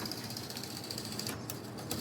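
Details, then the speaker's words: Model train locomotive running on track: fast steady mechanical clicking from motor drive, probably broken gear; still runs with lights. "You hear the clicking in it. It's probably broken gear."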